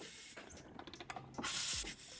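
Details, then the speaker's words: 1988 Kawasaki KX500 two-stroke supermoto with a 1985 engine: clicks, then a short sharp hiss as the side compression release is pushed in and the engine turned over by hand, venting normally. "press the compression release which is on the side here push that in once you can hear it breathing on this side"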